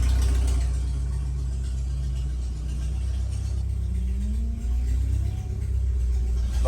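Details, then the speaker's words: F7 truck after fitting a replacement external 255 fuel pump: it starts, holds fuel pressure and revs smoothly with a steady low rumble. The pump is much quieter, with no whine, so it is running normally; the learn tables are possibly off. "but yeah hopefully this fixes it so uh the pump is much quieter"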